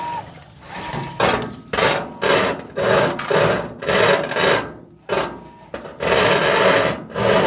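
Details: GE washing machine after being moved: a rough rasping scrape surges about twice a second with tub rotation, from something rubbing under the tub. Pushing the tub in stops it. Owner unsure if bearings or something knocked loose.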